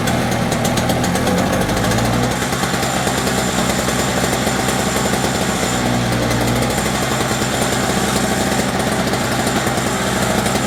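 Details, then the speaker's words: Snowblower that would not run, started with starting fluid and lots of gas in it: a small engine holds a fast, raspy, constant rev and never drops to idle, very smoky; idling too high, cause unconfirmed. "Really didn't think it was gonna start, honestly. Sounds like it was idling really high."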